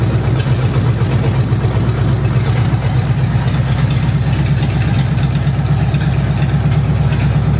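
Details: Rebuilt Ford 59A flathead V8, originally pulled for rattling (mismatched rods, one piston hitting the head), now with a donor crank, bearings and rods, first run on a test stand: loud, deep, uneven beat about three a second; rough running, possibly fuel starvation.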